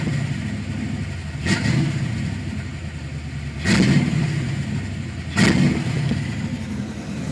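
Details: 1991 Ford Mustang: three quick throttle blips over a lumpy, uneven idle that stumbles between revs; misfire, cause not pinned down.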